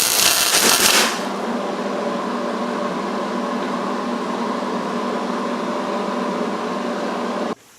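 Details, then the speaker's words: MIG welding a bead on roll cage tubing with insufficient shielding gas: steady harsh, rough, spattery crackling arc instead of a smooth sizzle, leaving an ugly, porous, bubbled weld. "Okay, so before I put it away, I figured we might want to just show you what it looks like when you don't have enough shielding gas."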